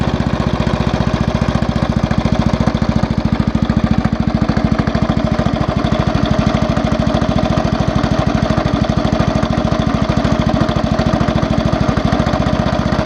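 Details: Small single-cylinder engine idling: a sharp, even knock on every turn, loud over the exhaust beat and growing louder; owner suspects the crankshaft-side bearing or the con-rod big-end bearing.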